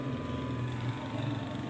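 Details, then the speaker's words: Electric dryer (dry machine) switched on but not running: steady low electrical hum with a faint higher tone and no rise in speed; motor energised but stalled, with a warning not to touch near the switch because of shock risk. "मिसाल के तौर पे बात का ऐसा होता है कि हम मशीन को चलाते हैं तो मशीन चलती ही नहीं है, ठीक है। तो ऐसी आवाज़ आती है।"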